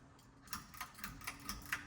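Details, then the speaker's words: 42-inch Sears Roebuck Hugger ceiling fan, on low speed drawing 2 amps: light dry ticking rattle about four times a second over faint hum; motor bearings worn out, oil unlikely to fix, replacement needed. "even on low speed, you can hear that the racket in the bearings."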